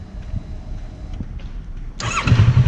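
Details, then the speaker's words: Kawasaki Versys 650 with idle set to factory-spec speed: hot start, engine catches immediately on a brief starter press and settles into a steady low idle without stumbling. "agora vou mostrar para vocês como que a partida agora a quente funciona plenamente"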